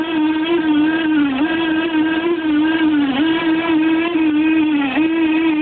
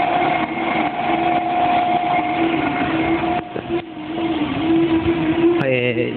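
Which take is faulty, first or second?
first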